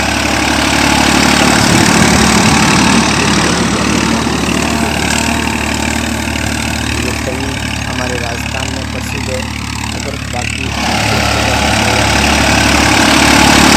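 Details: Massey Standard 241 tractor after repair, running while cultivating a cotton field; steady, even diesel clatter at about four beats a second, unbroken; healthy engine.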